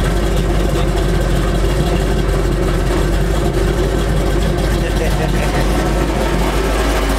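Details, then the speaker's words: Chevy C10 truck V8 warming up: deep steady idle with an even unbroken beat, no knocks or misses; normal idle, tachometer needle jumping. "This is me hearing the idle. Wow, and it sounds good. It sounds good."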